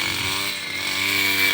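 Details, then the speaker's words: Robin NB 351 two-stroke brush cutter on premixed fuel, cutting rice stubble at full throttle: high steady buzzing whine with no stalling or stumbling; engine running clean and healthy. "เปิดเครื่องก็ไม่มีดับไม่มีสะดุดนะครับมีแต่น้ำมันจะหมดในเราก็ลุยครับ"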